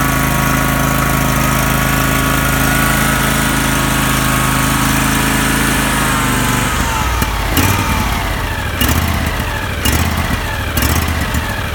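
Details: Husqvarna YTH18K46 riding mower, single-cylinder engine idling unevenly, beat stumbling and dipping then catching about once a second: rough idle.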